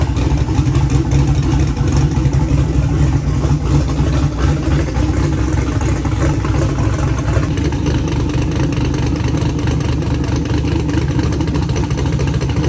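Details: Car engine with an earlier valve train noise, first start after the fix: steady even idle, smooth low rumble, no ticking from the top end; it sounds good.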